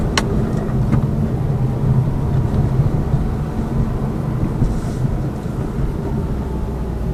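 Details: Lada Vesta Cross with AMT 2.0 robotised gearbox, full load, driving rough road, rail crossings and bridge joints, head-mounted camera; after replacing the front shock struts, stabilizer and engine mount the suspension knock is gone, only road rumble over joints.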